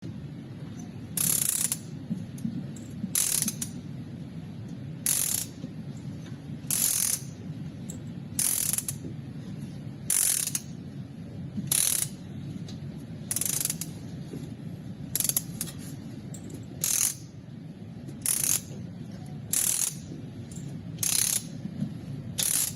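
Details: 2008 Toyota petrol engine idling with a low rumble broken by a sharp, ragged burst roughly every one and a half seconds: misfire.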